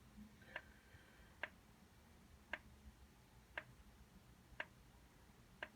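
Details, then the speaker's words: Carver PM-1200 power amplifier in protection, solid red light, fans not running: sharp single relay clicks about once a second over a quiet hum, level LEDs lighting with each click; cause not found. "there is a clicking coming from inside of the unit you'll notice that some of the leds light up here around the three the green ones at the bottom there and the three level"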